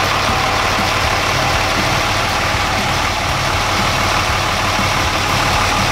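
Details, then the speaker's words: 2005 Dodge Ram 2500 5.9 Cummins diesel, quick start right after valve lash adjustment: settled, even diesel clatter at idle with no miss, knock or ticking; normal healthy idle. "I'm gonna do a quick crank start make sure nothing awful sounds like nothing full"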